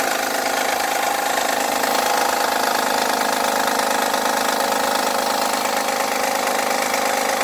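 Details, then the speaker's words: 2011 Honda Accord on a cold start: a loud, busy clatter over the idle with a fast, somewhat uneven tick near 220/min, sounding like low oil though oil is full. It fades after 5–10 minutes warm and returns after an hour sitting; cause unclear. "It'll do that for 5 or 10 minutes until the engine's warm, and then, I can turn it off, back on, drive it. It's fine. It just does it, and then if it sits for an hour, it'll be loud again."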